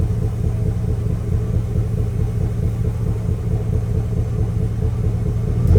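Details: Chevrolet Express / GMC Savana full-size van V8, high mileage, idle with deep uneven lumpy rumble; engine misfire.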